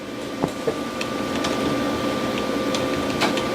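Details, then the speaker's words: Old salvaged desktop PC on its first power-on. Steady loud rushing roar with a thin high tone as the fans run full blast; it is suspected to need cleaning or to have bad fan bearings. "B are running full blast and that can only mean that it needs a good cleaning wow bearings are bad or something"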